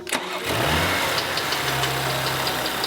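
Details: Rebuilt wrecked 2020 Audi RS4 Avant just refilled with 7.5 litres fresh oil: petrol engine cranks briefly, catches and settles into a steady, even idle with no knocks; previous noise gone.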